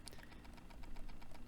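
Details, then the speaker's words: 1960s Panasonic portable reel-to-reel: a rapid scraping tick, about eight a second, in forward play only (silent in reverse) from the loose brass brake ring, whose reglued felt braking material did not hold. "but you can hear there's a bit of a noise being made so it's silent going in reverse but going in forward it's making a noise and that noise is definitely being generated by this Brass Ring and so we can see that that glue did not hold"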